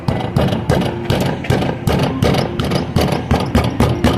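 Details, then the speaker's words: Hyundai Tucson right rear: steady knock about three beats a second, stops when a hand is placed near the brake caliper; shock absorber lost pressure, bump stop and shock absorber need replacement; rhythmic knocking from rear wheel area. "Ó, o ruído é bem audível, né? Só de colocar a mão aqui na na região da pinça, ele para."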